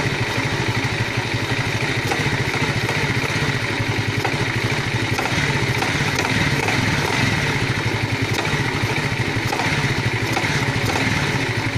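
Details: Alpha small engine knocking, owner asking for help: rapid light tapping in time with idle over buzzy exhaust; engine knock, cause unclear.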